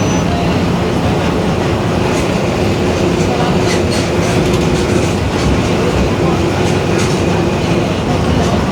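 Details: 2021 Marcopolo Torino S bus on Mercedes-Benz OF-1721 BlueTec 5 chassis, recorded inside while moving: steady drone and rumble with a faint constant hum under road noise; roaring rear differential.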